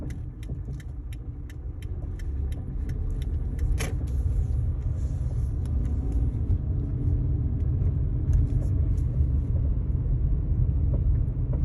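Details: 2012 Kia Forte driving at 5-15 mph: low road rumble with scattered light clunks and rattles, irregular rather than timed to speed; source unknown.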